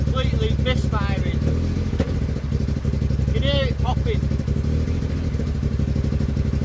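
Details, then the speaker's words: Car just back from a gearbox swap to a second-hand ST200 gearbox: the engine idles rough and irregular, with uneven thumps and pops. It won't tick over and dies without revving. Misfire; owner unsure whether a wiring connection he made is correct; cause unknown. "But it's still got the misfire. So it won't tick over if I let go of the stop revving, it won't tick over."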